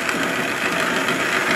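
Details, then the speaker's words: Antique wood lathe during restoration, old motor: a steady, even hum and whir with no knocking, rubbing or wobble, smooth and quiet; normal running. "It's what an old motor on it as well, I like the old malt is lower than the new motors I always seem to run a lot quieter than the real ones for some reason"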